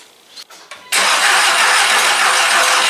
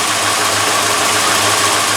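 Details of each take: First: VW MK4 Golf project, sat in a corner almost a year, first start attempt after reassembly; starter spins with a steady whirring for about five seconds but the engine never catches, battery too low to crank it properly. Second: Rebuilt MK4 Golf engine, first run after rebuild, AC delete pulley sitting cockeyed: even steady idle with smooth low pulse, no knocks or misses; runs pretty decent, though it squeaks badly when revved.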